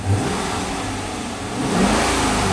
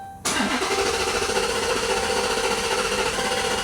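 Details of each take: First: 2011 Dodge Charger R/T, first start after repair with tank nearly empty: engine revs to a rising roar and drops back, slightly ragged at first but pulling cleanly; runs fine. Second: 2011 Dodge Charger R/T, first start after repair work with fuel nearly empty (gauge on red): cranks and catches, then runs unevenly with wavering tone while settling, expected to run rough briefly.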